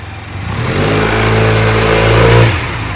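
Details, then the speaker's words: Honda Silver Wing 600 scooter at 3,895 miles with new belt, after clutch teardown: revs up smoothly and drops back, clean even hum, no squeal on engagement; squeal gone, apparently clutch pads. "all right well it looks like the squeal is gone so apparently that what that's what it was"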